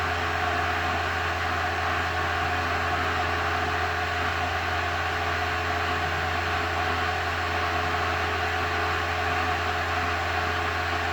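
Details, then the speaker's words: VW Thing Eberspächer BN4 gasoline heater after restoration, after shutdown with flame out: steady even blower hum, constant low drone, no flame rumble; fan cool-down run, normal. "Rumbling's completely gone. Fire should be out. Now it's just cooling it off."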